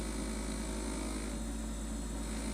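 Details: 2-year-old LG LFXS24663S refrigerator, compressor running, about 72 dB at 10 ft: steady low buzz under compressor hum from plastic condenser drip pan and fan shroud resonating against the frame.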